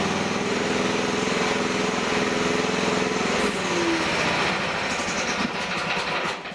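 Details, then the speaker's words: Small hydraulic pump used as a motor for a DIY excavator mower, on a tripod with a belt load, rpm checked with a mechanical tachometer: steady drone and faint whine holding pitch without bogging; could not be slowed, ample power. "Wow, I'm surprised. I couldn't even come close to slowing that sucker down. So there is some definitely enough power there."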